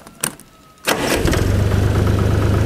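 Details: Chinese DTZ diesel tractor fitted with a new electronic engine-stop from the ignition key, replacing the cable plunger shutoff: a couple of clicks, brief crank, then catches within a second and settles to an even, steady chug; normal start and idle.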